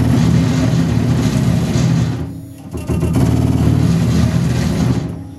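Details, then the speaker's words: Tormach PCNC 1100 Series 2 X-axis stepper motor with failing driver, compared with healthy Y axis: coarse, buzzing, uneven stepping tone at slow feed, rougher at low speed; stepper driver failed and replaced. "as you'll hear the Y AIS sounds just fine and the x-axis definitely does [Music] not"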